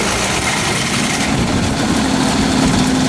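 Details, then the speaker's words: 1998 hovercraft, front 25 hp two-stroke engine on 50:1 mix, just started cold after priming: uneven lumpy stumbling idle sounding ready to stall until warmed up; rough cold-start idle. "it sounds like it's gonna die here just let it warm up for a minute"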